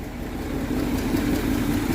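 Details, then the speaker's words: 1962 Dodge D200 with 318 poly V8 and 3-speed, revived after sitting since at least 2013, warmed about 10 minutes, no thermostat, about 140°F: smooth, even idle with low burble, running on all eight. "oh guys what do you think of that she runs she's running on all eight"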